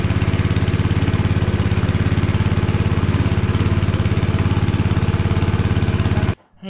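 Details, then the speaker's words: Honda GX160 5.5HP on a concrete power trowel, unused for years and abused; first run after cleaning the plug. Even, steady beat at about 2.5 firings per second, no misses, then shuts off cleanly. Runs normally; throttle cable still faulty. "we got it running"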